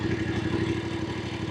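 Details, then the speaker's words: Voge 900DSX twin in rain mode at 29 degrees, crawling at low speed fully off the throttle: softer response, but a slight uneven pulsing in the beat as the fuelling searches, mild low-speed surging. "And again, in rain mode, it's a softer response, but there is some searching there."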